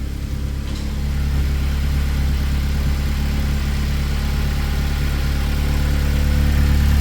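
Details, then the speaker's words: K24-swapped Mazda RX8, full 3-inch exhaust: deep steady exhaust drone at smooth even idle, no misses or knocks; healthy engine that just sounds loud. "Full 3-in exhaust. I don't I don't want to smoke myself out here."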